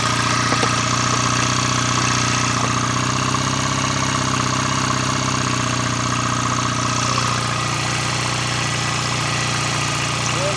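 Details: BSA A65 Lightning twin after full engine rebuild (new big ends, mains, cleaned sludge trap, top end overhaul), Pazon electronic ignition roughly set: steady, even idle with quick smooth beat, no knocks or rattles; sounds healthy.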